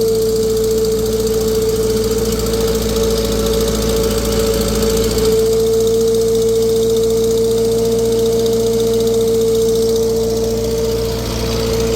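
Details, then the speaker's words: Vintage tractor warm on a dyno under PTO load, making 35 hp at a 500 rpm reading against a rated 36: a fast puffing tick with a constant whine. A cracked, previously JB-welded exhaust manifold is leaking. "Yeah, you can really hear it that it's the exhaust manifold's got a crack in it."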